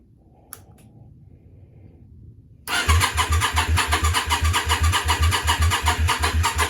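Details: Yamaha Virago 535 project, new starter, jump pack on a battery that keeps running flat: after a click the starter turns the twin over evenly about 2.5 beats a second but it never fires; owner suspects no fuel though he smells fuel; cranks but will not start.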